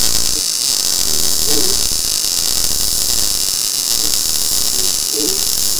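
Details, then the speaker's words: Blue Demon BLUEARC 140MSI 110V 140A MIG inverter, synergic automatic voltage, more shielding gas and higher wire speed, welding very thin steel: steady even crackling hiss, no sputter gaps; clean bead, no holes blown. "here's here's what we're getting here I mean it's welding this really thin steel or really nice"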